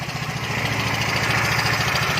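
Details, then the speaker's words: Yamaha Fino 125 scooter, started and revved lightly, with late throttle response: rough idle with fast, busy tapping over the firing beat from loose valve clearance, an oil-related problem. "suaranya kasar banget ya, ya kan? Tuh, coba digeber-geber dikit."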